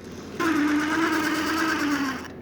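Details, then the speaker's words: Water-damaged Lionel 8142 locomotive, unlubricated, oxide on wheels, motor and push rods: harsh buzzing whir that sags slightly over two seconds; noisy motor, owner suspects water submersion and dryness, not confirmed. "would account for a lot of this noise. You can see that there's oxide all over this thing."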